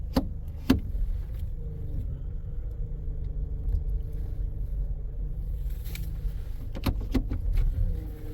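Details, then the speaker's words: Suspected low power steering fluid or failing pump: a faint wavering whine over the low engine rumble as the wheels are turned in a parking lot; owner thinks it is low on fluid, not confirmed. "oh I hear something there o I hear a little bit of power steering like it might be low on fluid or going bad but you hear it"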